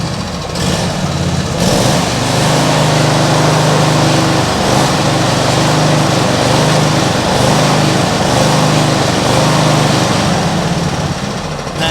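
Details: Cold small petrol mower engine with automatic choke at idle: hunts up and down about every second, uneven surging; owner suspects water in fuel after washing or choke; carb never cleaned, cause unconfirmed.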